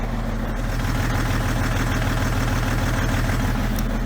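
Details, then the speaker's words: 2011 BMW X5 M57 diesel, over 450,000 km, mic near exhaust just after fuel filter change: slightly uneven idle with occasional soft stumble, a light miss; runs on five cylinders, faulty cylinder 6 injector, smoothing slightly, possibly air after filter change. "it seems like it's smoothing out a little bit so maybe it's just a matter of air after the fuel filter was changed so I'll put the mic near the exhaust and then near the intake or engine a little bit of a Miss sort of"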